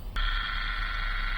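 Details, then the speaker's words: Washing machine motor, replaced months earlier after water got underneath, now repaired and run-tested wired in series: it starts cleanly into a smooth, even hum with a steady tone and no grinding or rattle, so the motor runs healthy. "Series में लगाया who देखि आपको नर आ रहा होगा तो माशाल्लाह से मोटर बिल्कुल यस हो गई है ए1 हो चुकी है"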